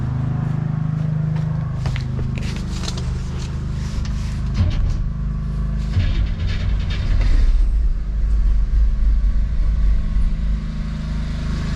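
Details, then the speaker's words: '57 V8 with FiTech fuel injection just reinstalled after warranty repair, first run: deep rumble with uneven, lumpy, surging beat. Runs rough; owner thinks the self-learning system needs to learn and tuning is needed. "well she's running i wouldn't say real well but it's got to learn some stuff and i got to do some tuning i think"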